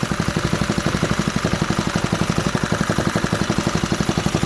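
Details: 1968 Briggs and Stratton 2.25 hp single, first fire after sitting decades, half bolted to a table: quick steady evenly spaced putts, stable idle on its own with no misses; runs healthy.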